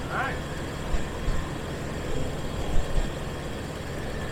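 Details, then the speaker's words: 2002 Jeep Wrangler TJ 4.0 engine at idle just after replacing the serpentine belt tensioner and idler; steady, quiet, even hum with no belt squeal, chirp or rattle; normal idle, idler confirmed turning. "Everything works like it's supposed to. That idler looks like it's not even moving, but I'm pretty sure it is."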